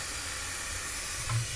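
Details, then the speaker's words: Viking Professional wine cooler, motor off: steady quiet hiss of refrigerant escaping from a corroded evaporator line; evaporator coil to be replaced with a Sub-Zero evaporator. "and then we'll put it back together so you can hear the freon coming out"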